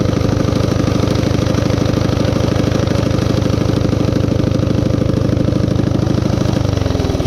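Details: High idle on a Coleman CT200U-A minibike, Hisun 196cc engine, bike elevated: fast, steady single-cylinder putter that never settles to a slow idle. The carb can't be set low enough, so the clutch engages as if the throttle were stuck, though it isn't.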